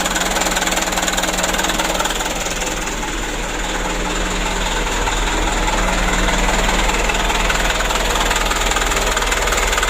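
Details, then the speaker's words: Mitsubishi Canter diesel after injection pump plunger replacement, engine not very hot: steady idle clatter about two and a half beats a second with a slight shake, pump setting nearly finished. Uneven idle. "nah ini Tinggal sedikit lagi ya nanti kita setel masih ada goyang sedikit ya tapi tidak panas sekali teman-teman"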